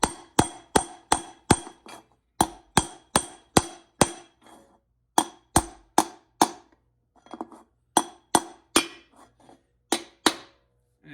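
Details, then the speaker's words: GM 4L60E rebuild, low reverse piston being seated by tapping with the output shaft: sharp ringing taps turn crisp and solid once the piston is fully seated in its bore. "once you hear it sound like that, it's fully seated."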